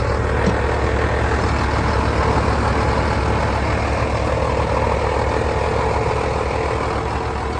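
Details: 8300 tractor after a new belt and tensioner pulley, replacing a severed belt and a failed pulley bearing, started on a boost: a heavy, even diesel chug at about two and a half beats per second with no squeal or chatter. Normal steady idle.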